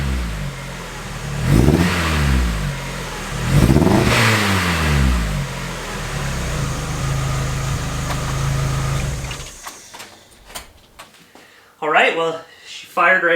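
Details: 1999 Miata, Chikara built 1928cc 11.0:1 engine, first run after six years parked: two uneven, popping revs then clattery idle (noisy valvetrain expected); misfire, owner suspects coil pack, plans coils, plug wires, plugs.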